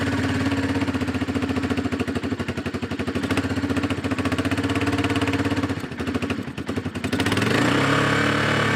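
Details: Four-wheeler ATV single-cylinder engine after new ignition coil and fuel filter, started with starter fluid after sitting; even thump at fast idle, dipping briefly then recovering; starts and keeps running, carburetor may need adjusting.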